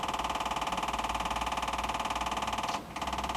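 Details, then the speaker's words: Cold Chevrolet K2500 at idle just after start, fuel pump running off oil pressure: a steady light click about three times a second from up front. Owner suspects the firewall relay is sticking and running the pump excessively, not confirmed. "relay stick sticking huh interesting huh is the relay sticking on the fire wall making the pump run excessively"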